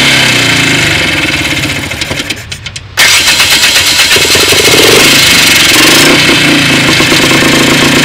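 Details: Polaris engine cranks and catches at about three seconds, then idles loud with irregular pops and a stumbling beat; misfire, cause unknown.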